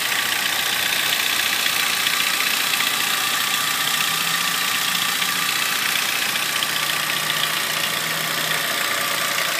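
Steady idle with a light, quick tick about three to four times a second riding on top; cause of the tick unclear.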